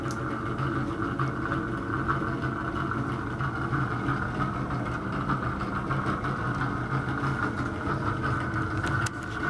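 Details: Bathroom exhaust fan: continuous rough hum with raspy midrange whir and faint irregular rattles; noisy fan, bad motor or fan bearing suspected, particle-board-like debris fell out when opened.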